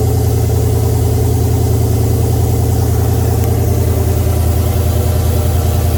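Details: Oldsmobile 442 V8 just after first start following rebuild (new cam, pushrods, oil pump, valve springs, heads, gaskets); deep steady rumble at a fast even idle, no tapping or knocking; oil pressure 92, later 86 psi.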